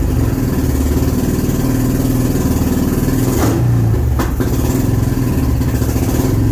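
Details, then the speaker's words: Honda motorcycle, first start since 2019 after sitting, carbs had stuck closed, stale turpentine-smelling fuel, running on fuel poured from a funnel; idles steadily with a short rev blip that settles straight back; normal idle. "All right, I got some heat in it, so it's starting, it's running, it's idling, which is shocking."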